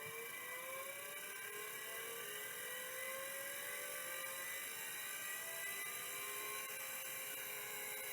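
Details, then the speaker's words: Miniscribe 3425 vintage hard drive powered on bench: high whirring spin-up with rising tones, rough sound, no seek chatter; heads not moving, stuck stepper motor. "sound stuck stepper here's the next one it's a better sound stuck stepper kind of figured sounds kind of rough too"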